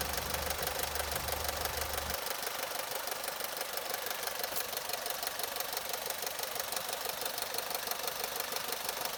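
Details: Opel/Vauxhall Corsa 1.2 Z12XEP 80 hp petrol engine idling with a fast, dry metallic rattle from a slack timing chain: timing chain rattle at idle.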